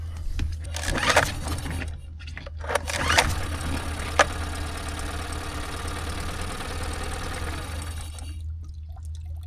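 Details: Tohatsu 9.8 hp 4-stroke outboard on a 1981 Cape Dory 28, manual pull start on the old fouled spark plugs: a few sharp bursts, then a rough run that dies after several seconds; the motor won't stay running because of a dirty carburetor.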